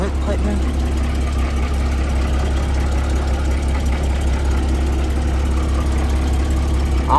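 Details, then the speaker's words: Porsche Boxster convertible with front-end damage: a steady low idle drone with a rough, uneven undertone. The inspector says it is not supposed to sound like this; cause not pinned down. "the way that sounds yo i don't like the way that sounds i mean google went bro this is not supposed to sound like this dog"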